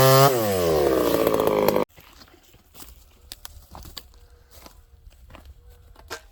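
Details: Ported Homelite 922 chainsaw after clutch and fuel line fix and cooler heat-range plug, cutting very hard wood: under two seconds of full-rev scream under cut, then drops out; sounds strong and clean.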